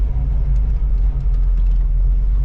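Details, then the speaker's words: 1985 Oldsmobile Cutlass Supreme with a brand-new carburetor, idling while driving on a test drive: a deep, steady, smooth V8 rumble with no stumble or miss, a healthy idle. "Oh yes, I can hear the idle. It sounds so good. So I'm on idle right now."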